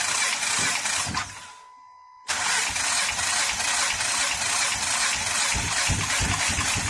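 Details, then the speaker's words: 2013 Honda Pilot J35 V6 after the timing belt slipped while driving, likely bent valves and no compression: engine catches after a brief dropout and idles with an uneven, stumbling beat and hissy top end; may also be flooded. "I would say it sounded like it was flooded originally when I was starting up anyway, because cylinders can get washed out."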